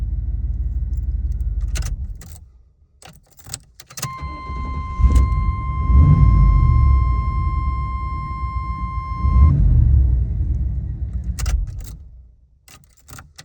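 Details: Engine that won't start once warmed up: keys jingle and a warning chime sounds, then the starter turns over steadily at about four pulses a second without catching. It cranks with no start on a warm engine.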